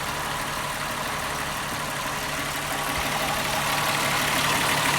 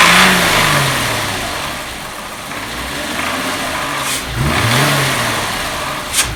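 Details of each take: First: 2001 VW Jetta 12-valve VR6, cold first start after intake manifold shifter rod replacement (fix for clacking noise); idles smoothly and evenly with a light steady whirr and no clacking; normal idle. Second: 2001 VW Jetta 12-valve VR6, before intake manifold shift rod replacement: engine blipped up and back twice with a dry clatter riding on the revs; worn shift rod clacking, possibly also behind throttle hesitation.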